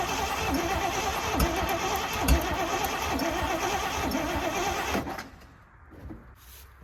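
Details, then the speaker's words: 1979 Jeep J20 V8, sat a year, owner suspects low compression, new battery fitted, choke closed: starter drags the engine slowly and unevenly for about five seconds, then cuts out without starting; battery still weak; slow cranking. "battery is not great I'm going close the choke off to try and pull some fuel up that battery really not good"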